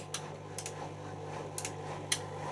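Sharp, irregular clicks roughly every half second over a low steady hum; the door lock is cycling normally as it engages.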